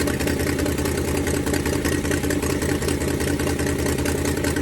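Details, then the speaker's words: Ford Falcon 289 V8 at idle during a cooling-system flush for rust-caused overheating: loud rough idle with raspy puffing about two to three beats a second from an exhaust leak that appeared while sitting; fix planned for tomorrow. "That exhaust leak sounds horrible. It's getting fixed tomorrow."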